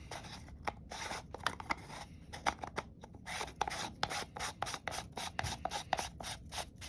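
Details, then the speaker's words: Zebco Red Rhino spincast fishing reel, hand-cranked: scratchy, irregular ticking with sharper catches several times a second; gear tooth chipped when a rag jammed between the gears slipped during rotor removal, reel needs a new gear. "don't know if you can tell but you hear that skip in there yeah definitely has a damage gear"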